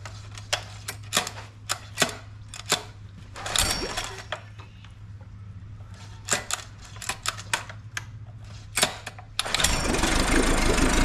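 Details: Used small outboard said to have run previously, oil checked, started on choke: low even idle hum under scattered clicks and clatter, no misses; pumping good water, not leaking, idle screw may need slight adjustment.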